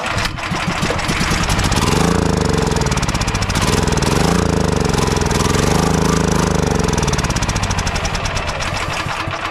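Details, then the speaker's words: Champion dual-fuel 9375 generator that won't start and surges, spark and compression good, run on sprayed starting fluid: rough uneven firing swells and sags then fades; likely not enough fuel given, so the fuel-fed parts work. "So I'm not sure exactly why it died out. I probably wasn't giving it quite enough fuel to keep running, but as long as we're getting fuel there, everything's working good."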